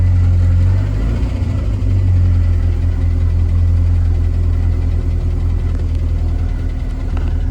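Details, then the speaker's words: Roush Thunderbird just restarted after sitting for years, oil pressure present, alternator also noisy: deep steady idle at raised speed with slightly uneven beat; high idle. "but it's from that mustang it's got a high idle i know"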